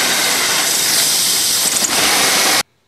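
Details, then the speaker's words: 2001 Buick LeSabre with misfire and power loss; steady sharp hiss over a quiet engine, a vacuum leak from a rolled EGR O-ring, with the tab also broken. "I don't know if you can hear that hissing noise I I didn't notice that before but I sure hear it now looks like I've got a bit of a vacuum leak there"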